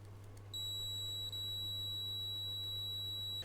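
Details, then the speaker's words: Multimeter continuity beep on Triumph Bonneville T100SE ECU harness, probing pink/black wire pin B20 from the connector end for a rough-running fault: steady high beep over low mains hum, good continuity, pin fine, fault codes cleared in TuneEcu. "We're all good. So we got continuity to that end. So there we have it. That pin's out absolutely fine."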